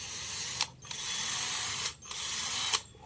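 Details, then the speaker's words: Electric drill that kept spinning and stopping, tested after a part was soldered in, before reassembly; short high-pitched motor whir in bursts, starting and stopping cleanly in reverse with no grinding or stutter. Normal running in reverse. "กลับฝั่งโอเคเพื่อนๆใช้งานปกตินะครับ"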